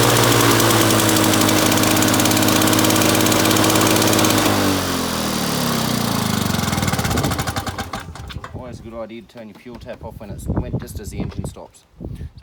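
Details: Victa two-stroke lawn mower rebuilt from two parts mowers, test run after rebuild with new fuel tap (leaking slightly); steady crisp buzz with even firing, then shut off and winds down; sounds healthy.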